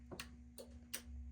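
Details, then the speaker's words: Clarion PT-975C stereo from a Mazda RX-7 on the bench, logic side powered: sharp dry relay clicks over faint hum while the EQ does nothing; amplifier relay clicking, possibly no power or ground to EQ, suspected. "I hear the amp clicking. The EQ is doing nothing."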